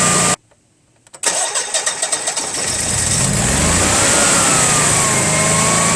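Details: Honeywell/Generac generator model 60341 with intermittent overcrank lockout, incoming gas pressure 8: brief crank, catches cleanly and settles into steady even idle, no misfire or hunting; regulator and gas meter judged working, quiet test mode suspected.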